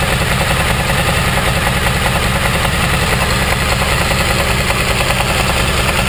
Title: 2014 dl1000 engine knock